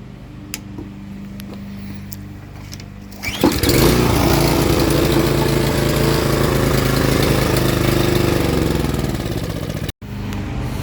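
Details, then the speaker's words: Toro string mower model 58620, Briggs & Stratton 163cc engine, still stalling after fuel change: catches on the pull, runs a steady fast beat about six seconds, then sags and dies; carburetor replacement planned, cause unconfirmed. "and it shut off again that is weird"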